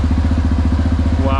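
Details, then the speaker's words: Crashed motorcycle under repair, first run after long storage on old German fuel, idling without being revved. A steady, low, even idle pulse with no knocks or misses; the owner says it runs like clockwork, a normal idle. "Neću da ga forciram, neka ga malo da odradi. Samo da vidimo. Radi kao sat."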